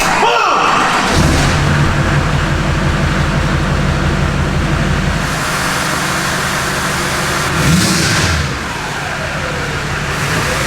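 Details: Duramax diesel in a K20 build with a turbo. The strong, steady rumble climbs cleanly as the throttle opens and settles back, with no knocks or rattles; it sounds healthy and mean.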